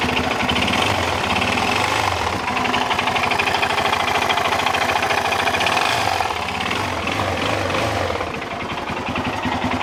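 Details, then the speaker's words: Suzuki DRZ400 single warming up at idle before oil drain: sharp metallic hammer-like knock about three per second. Teardown confirmed rod knock, loose connecting rod, and a scored cylinder with piston worn. "Всем привет очередной пациент Suzuki drz400 завёл его прогревают чтобы масло слить вот такой звук у него из"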